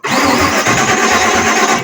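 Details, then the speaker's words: 1953 Ford Customline with swapped 350 Chevy engine cranks and catches briefly with a ragged burst, never settling to idle; suspected fuel starvation from a carburetor bad out of the box, battery low, fast-opening choke not hooked up. "I really feel that this thing is not getting fuel. It's throwing a monkey wrench in everything."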